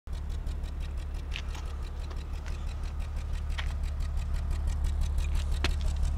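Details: BMW E36 328i with an OBDII code, low idle with faint irregular stumbling ticks, also hesitates with power loss; owner's possible causes: low fuel pressure, inactive or low-output O2 sensors, unconfirmed.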